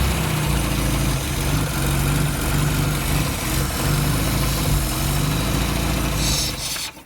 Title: Austin 1100 - rough idle and not revving